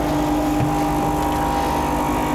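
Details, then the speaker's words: New Rocket Espresso Stone machine at first start-up while the boiler fills: loud, steady buzzing hum, the normal sound of the vibration pump, expected to be much quieter during extraction. "normale Geräusch von der Vibrationspumpe."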